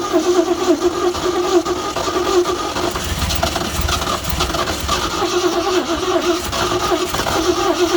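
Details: 1969 Ford F100 V8 that sat years in the weather without a hood, first firing: catches and runs ragged with uneven stumbling firing and surging; poor running blamed on a junk carburetor.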